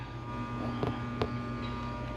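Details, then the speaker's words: Hog barn inlet ventilation machine motor: low steady electrical hum with faint higher tones, energised but not spinning; shaft turns freely by hand, so not threads or bearing; motor shot, probably the internal non-replaceable capacitor. "It's not supposed to do that. When you hear it hum, it should be spinning. It's not because of the threads or the bearing or anything like that. You can spin it by hand. The motor's just shot."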